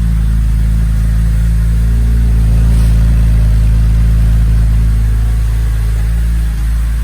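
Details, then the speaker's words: 2007 BMW E86 Z4 3.0si Coupé, straight-six, first start after installing a Scorpion Red Power exhaust: a deep, even drone at fast idle, quieter than before with no rasp or leak ticking, so the engine is audible again. Normal. "i can actually hear the engine again over the exhaust which is nice"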